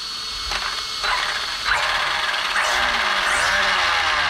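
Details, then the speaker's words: Arrma Vorteks RC truck after front and rear diff service with 15,000 weight fluid: motor whine rises smoothly, gears spin freely without grinding or clicking; drivetrain working fine. "Okay. So that seems to be working fine."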